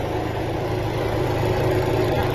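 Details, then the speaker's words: 2013 Dodge Dart, 209,969 miles, with a cylinder 1 misfire and knocking from a badly installed plug in slightly stripped threads: after the old plug and coil were refitted, it idles smoothly and steadily with no misfire. This is a temporary fix. "I'm going to check the other three cylinders, but right now it's it's not misfiring and it's running stable."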